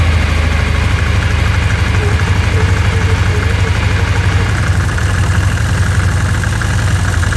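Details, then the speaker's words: ATV idling right after installing the UATV-tech primary clutch mod and servicing and greasing the one-way bearing; steady, even low drone with no clutch rattle or chatter, much quieter than before thanks to the grease, normal idle. "that's a lot quieter than it was so obviously the grease in the oneway bearing has took care of most of the noise"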